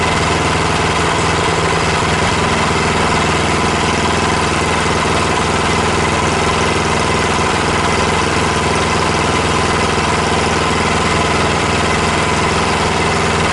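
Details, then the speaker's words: Predator Hemi 212cc single-cylinder engine on a Mega Moto mini bike, just fitted with a Tillotson TFB carburetor: steady even idle with a rapid pulse, no knocks or misses; sounds healthy, though the exhaust shakes a lot. "maybe take it down a hair what do you think that sounds good I'm extremely happy with that uh a lot of Shake in the exhaust"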